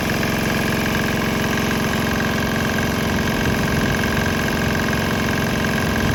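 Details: Swan X 165F Chinese single-cylinder diesel restarted on 100% used canola oil with about 10% diesel residue, shaking, speaker box adding racket: loud steady thumping, few hundred firings a minute; running evenly.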